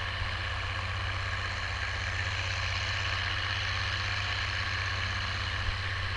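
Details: Oliver 1550 tractor, about 54 hp, disking with a JD BW disk 6–8 inches deep after fuel-system contamination cleared: steady, even diesel drone with no misses, knocks or hunting; healthy, strong running under load.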